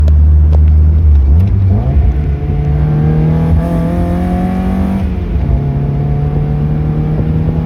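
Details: Mazda Miata with SpeedyEFI: revs climb steadily, then the engine stumbles and the note drops abruptly at a consistent 4900 rpm; high-rpm misfire.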